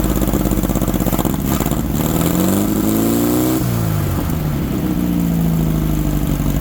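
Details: 1964 VW Baja Bug air-cooled flat-four, formerly seized, sitting over a year, run on old gas: idles evenly, revs up smoothly and settles back, no misses or knocks; running healthy.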